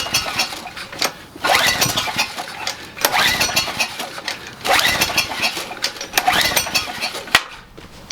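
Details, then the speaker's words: Generac 3000 watt generator with an overhead-valve engine: repeated cranking bursts about every 1.5 seconds, sputtering briefly but never catching despite spark and extra gas; plug found wet, owner suspects a large valve gap. "like it wants to go why won't you just start it did sound like it right I'm not crazy"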